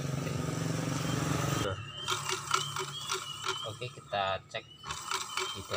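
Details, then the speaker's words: Honda Vario 125 scooter that creeps forward without throttle; CVT pulley turned slowly by hand with cover off gives irregular dry clicks and scraping after a brief engine burst, indicating a worn clutch housing. "Terdengar suara berderak, seperti ada sesuatu yang bergesekan dengan sesuatu yang lain. Hm. Seharusnya tidak berbunyi seperti ini."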